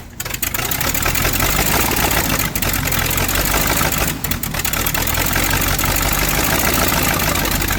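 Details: V8 Chevy in a Curtiss P6E replica biplane, unrun for 22 years, after timing and carburetor adjustments. A loud, steady roar with no misses or stumbles; it is running properly.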